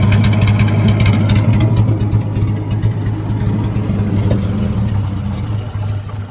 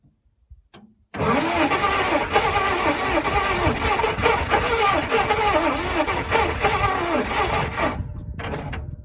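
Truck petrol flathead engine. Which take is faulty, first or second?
second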